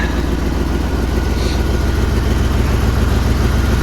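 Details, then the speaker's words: 1979 Jeep Cherokee AMC 360 V8, idling after sitting 3 years, before first drive; carburetor barely working. Deep, even idle with steady loping beat, no misses, knocks or ticks; owner says it sounds like all 8 firing, normal. "Listen to that 360 purr, guys. If it's not hitting on all 8, I don't know why it wouldn't be. It sounds like it is. It sounds like it's hitting on all 8 to me."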